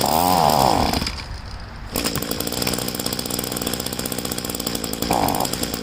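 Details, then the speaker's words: Small two-stroke being winterized, gas tank drained, primer bulb empty, run on choke: engine surges and stumbles, dropping out near one second, then catches and runs unevenly as it starves, burning the last fuel from carburetor and lines. "That should be good enough. All the gas is out of the carburetor and the fuel lines, so that's ready to put away."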